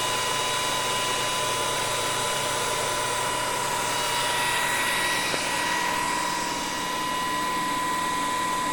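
Steady high, clean whine with a constant pitch and an even hiss behind it; the drive and motor run smoothly and normally.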